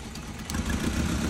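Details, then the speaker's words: Toyota (Matrix per the opening, Prius per the description) with 267,000 miles: rough, lumpy idle with a stumbling beat. The complaint was cutting off and no power. One coil gives no spark, so the engine runs on three cylinders from a dead ignition coil. "this one I suspect that's bad so basically what I'm just this this is just a quick way of diagnose it so no spark look at that so she's running off of three cylinders"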